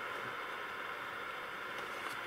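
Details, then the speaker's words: Ferranti MPT1089 mains/battery transistor radio, around 1962, first power-up before disassembly, about 30 mA draw: only a steady hiss, no stations, no response to wave change; no reception, local oscillator or converter suspected not working. "so just noise no local oscillator it's probably what's wrong with it"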